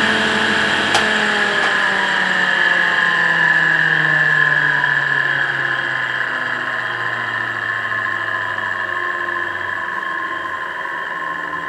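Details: EBM-Papst 4656 ZWU fan, run for years without powering off: rough whirring hum with a gravelly, grinding edge sliding lower in pitch as it coasts down. Worn bearings.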